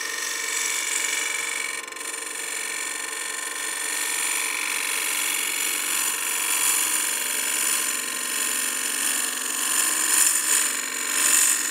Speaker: if you push the bevel too hard into the wood it pushes back and then you get this oscillating pattern a wave pattern on the exterior